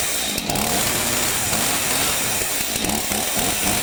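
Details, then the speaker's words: Stihl MS 251 two-stroke chainsaw after bee removal and new pull cord: fires on pulls and holds a steady high buzzing run without stumbling or surging; normal running. "Whoa, she fired. That's surprising. Fired."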